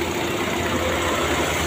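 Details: Nissan Almera petrol engine idling roughly with a stumbling misfire, dragging and low on power; cause suspected, not confirmed. A scanner power-balance test showed no change on cylinder 1 and a change on cylinder 2.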